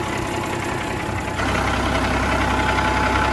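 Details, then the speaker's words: Peterbilt with Cat 3406C freshly rebuilt: new head, injectors, lines, gearbox, counterbores cut; loud steady diesel idle with even clatter about three beats a second, no misses or knocks: sounds healthy, really smooth, normal idle. "sounds healthy really smooth"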